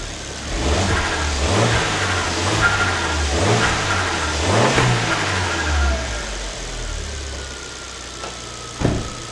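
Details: Alfa Romeo MiTo QV 1.4 TB after a timing belt replacement, engine cover off, warming toward 70°C coolant: repeated throttle blips with revs climbing and falling smoothly, crisp and even, no rattles beyond the normal injector tick; sounds healthy.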